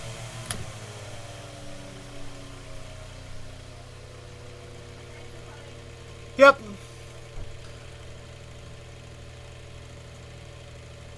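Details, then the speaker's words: Mainstays 9-inch high velocity fan after oiling and blade balancing service: click, then soft motor hum slides lower stepping from high to medium; slows smoothly, normal speed change. "all right so now we're going to go from high to medium this is uh when we switch speeds going slower"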